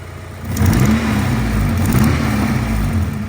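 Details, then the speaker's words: 2001 Honda Civic EJ9 D-series petrol, first start after years laid up, relearning idle and likely running rich; revs with a loud raspy puffing roar and backfiring, an exhaust manifold leak from missing manifold bolts. "there are a few bolts missing off the manifold that's why it sounds horrendous when you rev"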